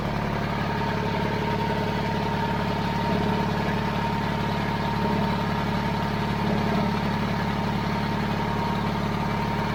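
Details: 70-year-old 1950s barn-find D6 dozer diesel, started via pony motor after years sitting: steady, even low thrum at idle, unbroken firing beat, no knocks; normal healthy idle.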